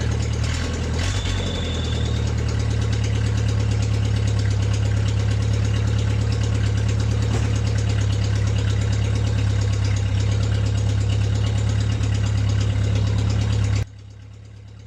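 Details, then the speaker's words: Smooth, steady low idle, no misses or knocks, on a long-abandoned MG at its first start in 22 years, after a new ignition switch, spark plug wires, starter relay and gas fed from a bottle through the filter to the carburetor. "So the engine ran smoothly after that."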